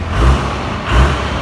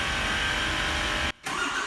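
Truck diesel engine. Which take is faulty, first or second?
first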